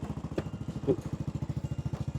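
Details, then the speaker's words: Used Honda Wave 100 small single at idle: quick, even putter with steady pulses, no knock, loud noise or smoke, with only slight chain noise; engine in good condition. "นี่7,500เด้อจ้ะตามสภาพเครื่องดีไม่ไม่ดังไม่ควันก็มีเสียงโซ่หน่อยๆจ้ะ"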